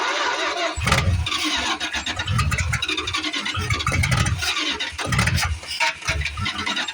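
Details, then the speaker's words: 1973 Plymouth Fury III, 360 engine swapped in after the car sat engine-less 7 years; rough stumbling start with loud irregular pops and bangs, blowing fire, backfiring. Owner suspects retarded timing or an exhaust restriction; cause unconfirmed. "Yeah, she's blowing fire again. Boy, that gas out there don't smell too good. Come on, baby. It's sure blowing fire."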